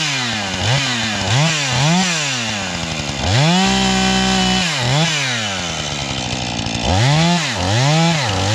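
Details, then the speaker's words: 440 chainsaw cutting oak firewood: climbs to a high shrill scream between cuts and drops under load; owner suspects it is tuned too lean and needs carburetor tuning; over-revving, cause suspected, not confirmed. "I got to tune it, though, because it's still That sounds too lean, right? It's just screaming too much."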